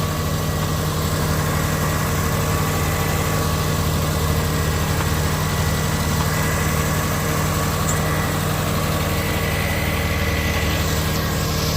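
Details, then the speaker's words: High-mileage car that burns a fair amount of oil and has lost power; white spark plugs point to a lean mixture, suspected from a clogged fuel filter: steady, even idle with a low constant hum, no knocks or misses; runs smoothly. "Radi dobro. Imamo i dalje radi dobro."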